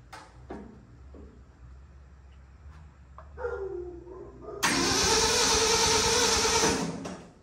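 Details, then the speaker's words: 1967 Ford F100 that sat 28 years, cranking after reconnecting the coil. Starter grinds in short bursts, then a long steady crank with no firing; smoke seen, owner unsure there is spark. "I'm seeing smoke. Still not convinced that we're getting fire."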